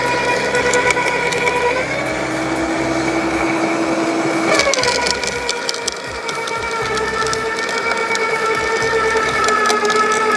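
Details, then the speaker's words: LawnMaster 2800W quiet electric garden shredder with self-feeding, shredding mixed-size garden cuttings, including thicker branches: high motor whine dips as thicker branches bite, then recovers amid crunching twigs. Normal, clean shredding. "okay so I hope you could see the how well this lawnmaster 2800 watt Garden Shredder did uh cutting the cuttings in my lawn the different size cuttings that I had really really really impressed"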